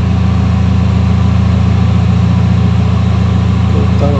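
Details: Engine idle drops and the engine shakes until it stalls: a low, uneven, shaky idle of about 3–4 pulses per second. Rough idle, cause not clear.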